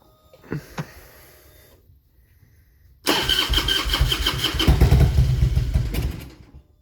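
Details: 2000 Harley-Davidson Road King V-twin with a bad miss: cranks, catches with a little throttle, runs rough, popping and sputtering, then cuts off within seconds as it does nearly every time.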